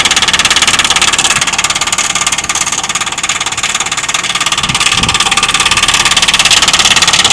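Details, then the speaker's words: Heat pump outdoor unit: hard, even knocking about three per second over a hissing rush, far louder than neighbours' units; owner was told it is the defrost cycle, and it later stopped; cause not confirmed. "this noise is so annoying we have to listen to this day in and day out and I'm told that this is the defer that's making this noise on this machine no one in my my neighborhood machine makes noise like this but mine"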